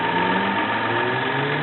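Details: 1993 Toyota Camry, 206k miles, automatic, idling: smooth idle with a slight pitch rise as revs lift a touch, no knocking or roughness; runs smooth.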